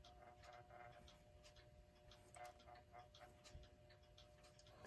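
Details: Hammond Gloria electric alarm clock from about 1933, a non-self-starting movement spun by hand: a faint steady hum under quick, irregular ticking and rattle. The movement runs but is noisy and is to be opened and cleaned.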